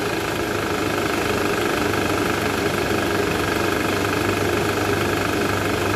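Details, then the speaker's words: Toyota Alphard, about 90,000 km, still on original parts, idling in R: a dull, fairly quick knock of about three per second under the engine note, a vibration noise from the engine area. A worn or loose balancer shaft is suspected, to be confirmed on removal. "asukin air sama dek itu ada bunyi abnormal bunyinya itu bunyi getarannya di area mesin tadi kita udah sempat analisa itu indikasi dari balancer shaft"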